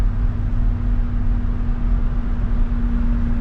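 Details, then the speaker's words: First-generation Toyota Tundra cruising at speed: steady mid-low hum from the front end over road rumble; not the brakes, owner suspects a CV joint; front end hum at speed, cause unconfirmed. "I don't know if you can hear that humming now but once I got it up to speed I had a hum to it he thought it was brakes definitely not the brakes might be a CV"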